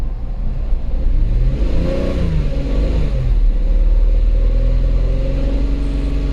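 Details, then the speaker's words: 2008 Volkswagen Passat 3.6 GDI running rough with misfire and extended crank, codes P0087 fuel rail pressure too low and P2296 regulator valve N276 short; uneven deep note through quick rev, apparently running off low-side pressure only, electric pump at 54. "problem might be just running off of the low side I have any high side let's see I don't see anything else on here"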